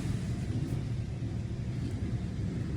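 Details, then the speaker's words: Hyundai engine after reviving a dead cylinder, new spark plugs fitted and codes cleared: low even idle with no misses, knocks or ticks; running smoothly though smoky from cleaning fluid. "she already running smooth it's smoky it's smoky"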